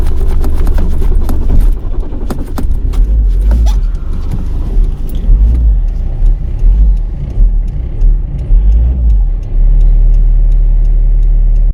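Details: Cold winter morning at the roadside: a long, low churning crank runs on for many seconds without the engine catching, then stops; extended cranking, no start.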